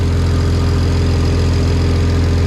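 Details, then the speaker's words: BMW N54 335i single-turbo conversion, first start: steady six-cylinder idle with fast puffing tick on exhaust note; exhaust manifold leak at turbo V-band joint, turbo not sealed, coolant also leaking. "and we got an exhaust manifold leak. That V-band is pissing out."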